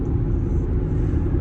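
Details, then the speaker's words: Cooper Endurance Plus tires after rotation, at about 57 mph: steady low droning roar with no distinct beat; tire roar, swapped for Michelin Premier to check, wheel bearings possible otherwise. "I'm on my way to swap these tires out for some other ones. I just bought some used tires and uh to see if the roaring will go away or if I need to investigate if it's uh something different."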